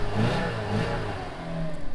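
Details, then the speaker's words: Pontiac Sunfire engine, 194,000 miles, check engine light on, idling really rough: uneven, lumpy wavering low drone that never settles; cause not identified, owner unsure of engine (wonders if V6). "Oh, now it's idling really rough. Oh yeah, it runs like shit."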